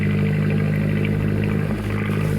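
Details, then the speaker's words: 1953 Lyman Islander wooden boat inboard engine (Gray Marine tagged) idling at lowest setting during spring prep before oil change, still pushing water out the back: steady even low idle, smooth unbroken beat, no knocks or misses; normal marine engine idle. "So I just keep running it till, you know, I can still hear it pushing water out the back, so I'll wait till that bucket's almost full."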